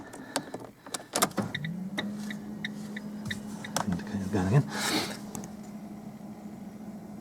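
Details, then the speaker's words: Fiat Fiorino after replacing the instrument cluster LCD panel, ignition on with door open: click then a steady low electric hum holding a few seconds; fuel pump priming normally and display working again. "you can hear, fuel pump's running."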